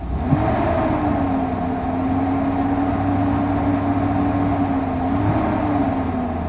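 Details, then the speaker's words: 2000 Chevrolet Silverado 1500 Z71 V8 just after a fuel pump replacement, recorded by a camera under the hood: it blips, then settles into a smooth, even hum with no misfire, running healthy. "And hey, she's purring."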